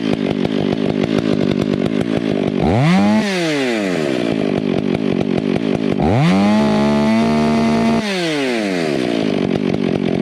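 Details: Stihl MS 461 with Westcoast Saws dogs, bark box and Maxflow air filter, limiters removed, retuned, still breaking in: revs up and holds a top note with slight burbling roughness, then drops back; carburettor slightly rich, four-stroking.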